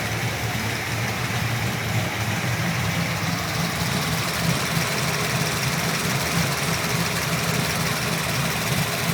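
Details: LS3 V8 with JRE 445 street cam package and ARH long-tube headers with high-flow cats: loose, uneven tick about three a second over a lumpy cammed idle; owner suspects lifter tick, unproven.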